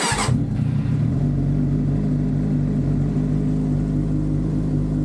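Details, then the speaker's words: 2007 Suzuki GSX-R 600, high mileage, started right after replacing the starter button/kill switch: a quick crank catches at once into a steady, even idle with a low burble and no knocks or misses; it works normally. "Sounds like it works."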